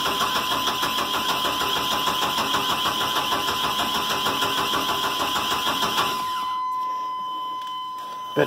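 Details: 1986 Chevrolet 1500 4.3, cranked after brake cleaner down the intake: even starter grinding, about three turns a second for six seconds, never fires. No spark suspected; maybe a bad coil, unconfirmed.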